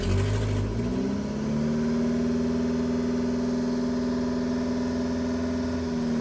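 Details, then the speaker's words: 2.4 Ecotec with low fuel pressure (codes P0228C, P0171), fixed. After about half an hour of running, codes cleared and no check-engine light, it holds a steady, smooth idle with no misses or knocks. "uh let's see what she sounds like now compared to the last time no check engine lights everything's running fine uh i guess that solved the problem"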